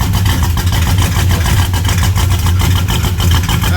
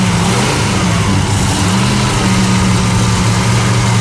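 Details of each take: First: Engine-swapped 1975 Plymouth Roadrunner with Chrysler engine, just fired right up on the key: strong, even low rumble with steady firing beat and no skips or knocks; normal healthy idle. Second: '75 Plymouth Roadrunner engine, freshly started after a carburetor fire and choke changes: runs rough and uneven at low speed with a hunting beat, backfiring on throttle; points to intake gasket leaking vacuum.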